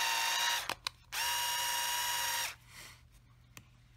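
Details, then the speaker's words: Cheap Black & Decker LI2000 cordless screwdriver with plastic gears, after cleaning and regreasing the gearbox. Two smooth bursts of steady high whine with no rattle; it sounds much better than before. "really really cheap before that really sounds like crap not actually actually sounds a lot better could use a charge I guess so if you got one of these you know they sound like crap sometimes all it takes is a little little grease up in the end here"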